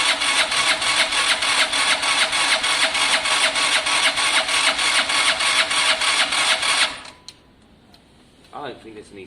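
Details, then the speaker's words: Gilera DNA scooter with fuel seen pouring from the carburettor: steady, fast starter whirring about three beats a second for seven seconds, no firing; cranks but won't start, owner suspects no spark. "literally [Music] i don't think there's any spark"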